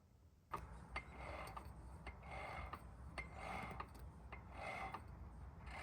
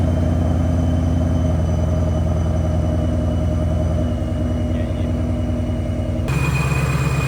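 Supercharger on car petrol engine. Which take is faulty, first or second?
first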